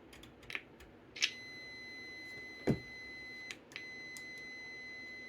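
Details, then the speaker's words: Vintage Macintosh logic board on repair bench, PMGR reset before power-on: flat high tone switching on and off with clicks and pops instead of a clean chime, audio hardware powering up in an undefined state; faulty startup sound from broken trace to sound chip. "so let's cut the power off again reset the pmgr well it's trying to chime but I don't think so"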